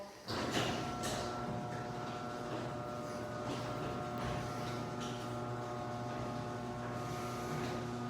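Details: Garage door opener closing after lubrication: low, even motor hum with a steady drive whir, no squeals or clunks. It used to be really loud and annoying and is now unbelievably quiet.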